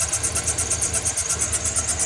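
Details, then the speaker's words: 2007 Chevy Silverado V8 at idle, also belt tensioner noise: fast, even ticking over a slightly uneven idle; collapsed lifter on cylinder six (maybe also eight) not opening the intake valve, causing constant misfire. "take a good one out here's your height difference that's what's causing the tapy tap tap and what's not opening your intake so intake valve which in turn Mis fire constant on cylinder six"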